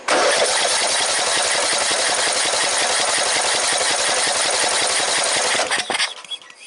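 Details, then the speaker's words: 14.5 Briggs & Stratton lawn tractor no-start, cranked with the fuel line held at the carburetor position: steady cranking, three to four strokes a second, never catches; barely any fuel pumped, fuel delivery issue. "Not a damn thing. And let me see if it pumps down low. Again, barely. Okay, we have a fuel delivery issue."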